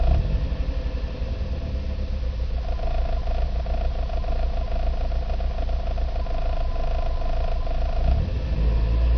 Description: Nissan Micra K11 1.0 1st Cylinder Misfires below 2.500rpm